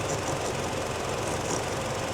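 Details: 2014 Nissan Frontier, rough idle and stalling with no codes, fuel trims up to +20-25% at idle, new PCM and fuel pump, no vacuum leak found: uneven, loping lean idle; fixed by replacing the air/fuel ratio sensor.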